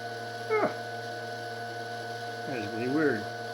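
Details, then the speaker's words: DM36D dynamotor fed about 24 V from a power supply, rated to put out about 220 V DC: a steady low hum with fixed tones runs in the background under brief yelps while output voltage is checked. "you can hear that thing running that motor running in the background though"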